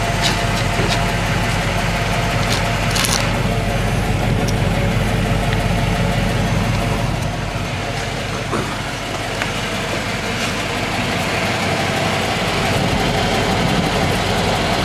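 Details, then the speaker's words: 1995 Cadillac Fleetwood with new mufflers fitted, at cold-start idle: a steady, even, low muted rumble with only a slight lisp, much better than the old exhaust. Normal idle. "you can see the new Mufflers there yeah there's a slight lisp to it but other than that sure as how better than it was before here how she sounds sure H better than before"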